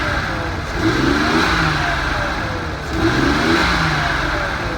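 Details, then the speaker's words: Nissan 280ZX turbo drag car just started on old gas, still smoking heavily: two throttle blips with rising turbo whistle and boost building, but a lumpy, uneven exhaust; owners think it runs on about 5 cylinders, maybe 4. "No, I think we're running on about 5 cylinders, maybe 4. Just want to burn some of the old gas out."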